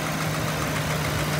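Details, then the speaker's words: 2009 Ford Crown Victoria Police Interceptor, 4.6L V8, 149,000 miles, automatic: steady idle with a faint light tick from the passenger side, cause unknown; oil smell once warm, oil seeping, suspected valve cover gaskets. "i hear a slight ticking sound coming from the passenger side here with my left side"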